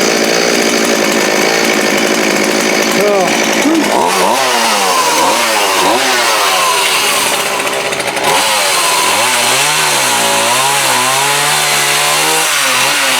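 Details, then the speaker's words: Homelite D3850B 18" chainsaw, with a new carburetor and fuel kit, cutting wood outdoors in the cold with a dull used chain: the high scream sags as the bar bites and climbs back cleanly. Normal engine under cutting load. "Thing's probably as dull as it can be, but I'll try to cut that piece of wood anyway."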